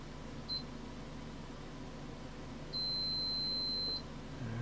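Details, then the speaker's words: Multimeter continuity check of a repaired trace on a Power Mac 5300/100 LC logic board: a short blip, then a steady high beep for just over a second over room hiss; trace intact. "alrighty let's check those traces so we're gonna go from there that one's good"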